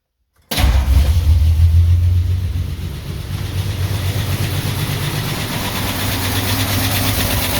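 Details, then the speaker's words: 1949 Ford F1 six-cylinder, rebuilt, restarted after sitting 20 years, in neutral with the fuel pump switched off: it cranks and catches, then lopes unevenly, not firing on all six; distributor cap or plug wires suspected. "I'm going to start it back up and see if we can get it to hit on all 6."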